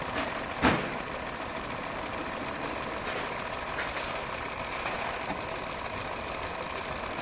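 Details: 2023 Hyundai Verna BS6 petrol automatic, which is overheating, losing coolant and starting late in the mornings: light tak-tak knock at idle over a hissy background. Suspected to be piston noise or something else, still to be checked.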